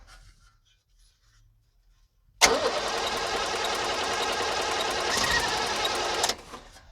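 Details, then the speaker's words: 1978 International Scout II Nissan SD33 diesel sitting over 20 years, very glow-plug dependent, after glow plug cycles: starter cranks hard about four seconds with ragged firing pulses, catches briefly but won't run on; cranks and fires but won't start. "look at that it did something all right let me give us some more glow plugs obviously this thing is very sensitive to glow plugs"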